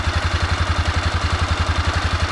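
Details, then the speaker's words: 2006 Honda CBF 250, about 44–46 thousand mileage, originally ticking. After repair (valves adjusted, chain replaced, oil changed), warmed up, a steady idle at about eight even pulses a second with no ticking or knocking: healthy. "Dobra, CBFka po testach. pali ładnie. Nic nie stuka, nic nie stuka."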